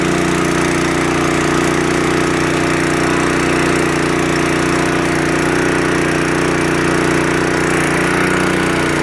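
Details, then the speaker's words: Restored, formerly seized and water-damaged Honda water pump, after carburetor cleaning and final carburetor adjustment: the small single-cylinder engine runs at a smooth, even speed with a constant tone and no knocks while pumping water well. "i did the final adjustments in the carburetor now she's running very well"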